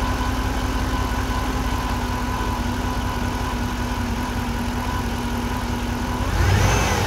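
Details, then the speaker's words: 2008 GXP at almost 150,000 miles; steady mid-pitched whine over an even idle, like a failing power steering pump, with a burning electrical smell; alternator charging only 13–13.5 V instead of 14; failing alternator whine. "feeling alternator makes kind of a whining sound almost sounds like a power steering pump going out"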